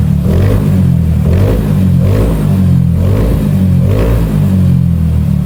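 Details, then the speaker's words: Bored-up Yamaha scooter after rebuild with original Yamaha rocker arms replacing fake ones, custom cam and CVT revision, sound check before dyno remap: steady low drone with gentle rhythmic swells, smooth, no knocks or rattles; sounds healthy. "Suaranya juga udah aman sentosa, jadi langsung kita lakukan remap dyno."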